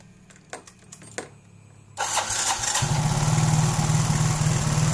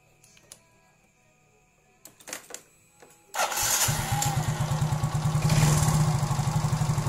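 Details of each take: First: Yamaha automatic scooter (Mio J/M3, X-Ride, Soul GT), idle set by throttle-body plunger, plunger too far in; engine fires and settles into fast steady buzz, idle too high, fix by turning plunger out (left). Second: Yamaha injected automatic scooter (Mio J/M3, X-Ride, Soul GT) after setting throttle-body idle plunger, roughly 1–1.5 mm gap; steady even putter with no misses, normal idle.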